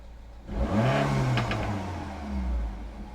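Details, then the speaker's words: Peugeot 308 GTI with new AIRTEC intercooler, held boost, AFR down to 14.7; quick rev rising and falling cleanly with audible turbo whoosh, no rattle or hesitation, normal healthy free rev. "If we put it in reverse, you can obviously hear the turbo going off."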